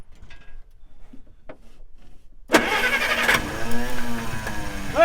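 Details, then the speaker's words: 1953 Plymouth with several corroded cables replaced, jump-started from a battery after about ten years stored: cranks briefly, catches and settles into a steady, even idle with no knocks or misses. "it wants to turn. It wants to start."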